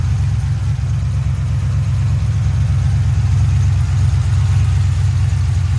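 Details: 2007 GXP with Sloppy Stage 3 cam, VATS and DOD deleted via HP Tuners, first start-up idle after retightening loose front rockers: deep steady V8 idle with even choppy lope, no popping or ticking; loose-rocker popping fixed, healthy.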